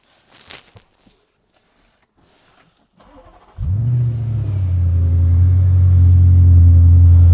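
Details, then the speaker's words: Audi RS6 after engine-out repair and oil injector work: starts after short crank and settles into smooth, even idle with no stumble; misfire-free. "So this RS6 is pretty much all done now. I'll just start this up. So you can hear this Misfire free."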